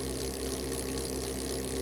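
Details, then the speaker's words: Tsubaki low noise drive chain on two sprockets, 1 kN load, 100 m/min, about 66 dB versus about 75 dB for standard RS roller chain (roughly 9 dB quieter); steady even whirr with soft low hum, no clatter. "the difference in sound levels generated by low noise drive chain and rs roller chain was approximately 9 DB"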